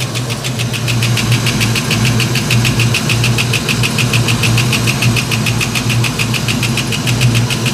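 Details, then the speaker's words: 1989 Ford Mustang LX 5.0 V8, restarted after about three years with rebuilt ECU, warming up: fast sharp ticking about four to five clicks a second over steady idle, source unknown; noise later all but gone once coolant circulated. "what is that racket I I just I'm gonna have to get a stethoscope dies or a piece of pipe and try to listen to this thing"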